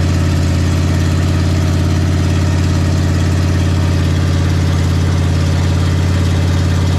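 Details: Big block Ford 460 V8 in a 1956 F-100 on open headers with no mufflers, running for cam break-in; loud, deep, steady rumble with an even, unbroken firing beat; normal running.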